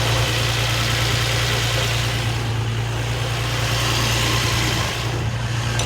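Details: G35 at idle, noise from under the car that started after the idler pulley was deleted: steady hum with a faint, uneven chatter; owner suspects the throwout bearing; a shop found timing, tensioners and cylinders fine; the car burns oil.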